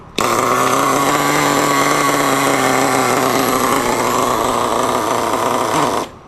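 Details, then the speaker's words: RedCat Tornado S30 nitro RC engine, cold after sitting a couple of hours on a cool day; a high buzzing two-stroke note runs steady but soft and burbly for six seconds, rich while warming up. "so she's a little cold-blooded getting going"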